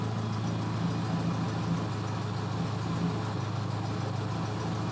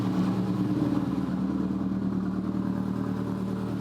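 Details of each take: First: 2004 Subaru Impreza Outback Sport with no-power complaint, history misfire codes P0301–P0304: cold engine idling around 700 rpm, deep steady exhaust drone and even beat; normal idle, check engine light still on. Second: 2004 Subaru Impreza Outback Sport, engine rebuilt about 10,000 miles ago, low power and idle complaints: cold engine idle rises to about 1200 rpm with even note and no stumble while warming up; normal cold fast idle.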